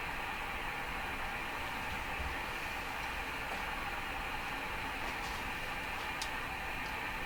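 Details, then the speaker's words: Hammarlund SP-600 shortwave receiver on a makeshift garage-floor antenna, tuned down from 25 MHz through 17 MHz: steady even hiss, faint ticks, no station audible, reception weakening toward the higher bands. "well that's a little disappointing you know it kind of seems the higher you get with this radio the quieter it gets"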